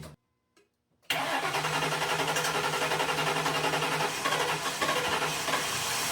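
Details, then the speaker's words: 2003 Grand Marquis cab-swapped project truck, not run for about three years, with old gas dispensed and fresh fuel added and a weak battery suspected: catches cleanly after cranking, settles into a steady, even idle; antifreeze leak noticed; normal start and idle. "I should have actually just left that on there, but it's running again."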